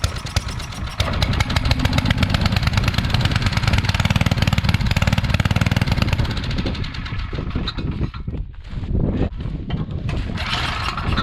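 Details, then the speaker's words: Coleman Powermate 5000-watt generator that sat for years, now with fresh oil and gas, cleaned and a new fuel line clamp: it catches and runs loud and choppy, then sags and stumbles. "okay so for some reason we're not getting full power so yeah on our voltage we're only getting 80 something"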